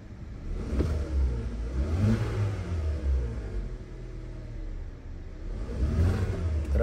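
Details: 2016 Kia Soul with P0300, P0303, P0304 misfire and P0420 codes; after swapping cylinder 3 and 4 coils for known-good used ones, a few quick blips rise and fall evenly with no stumble, engine running smoothly.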